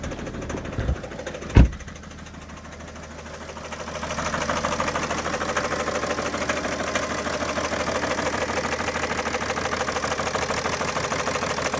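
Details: 2011 BMW 335d diesel at idle, bought this way: heavy uneven knock about once per second over diesel clatter, smokes badly; source of knock unknown.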